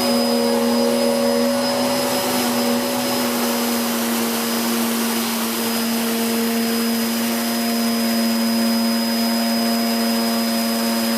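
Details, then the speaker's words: Hoover Whirlwind Pet WHS2102 001, a 2100W bagless upright from 2013 with a refitted belt, on carpet: a steady motor roar with a constant high whine and a busy, aggressive brush-roll rasp; normal running. "That was a very aggressive brush roll, and we can see there that that really has done a fairly good job."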